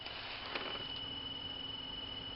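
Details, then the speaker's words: 2000-2007 Ford Focus blower motor on low fan setting: thin, constant high squeal over soft fan hum, gone on 4; owner suspects dry bushings/bearings, fixed by oiling them. "So I got a Ford Focus here with a squeaky blower motor. I'll demonstrate. That's squeaking. Drives me bonkers."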